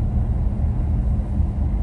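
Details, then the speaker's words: 1985 Chevrolet Caprice Classic, 5.0L 305 V8, ~153,170 miles, test drive up a hill after replacing the speedometer cable that caused loud squealing behind the gauge cluster: deep, even engine rumble, no squeak or chirp; speedo steady; repair successful. "so far no squeaking and the speedo is very steady which is a good sign so still driving here looks pretty steady no squeaking no noise"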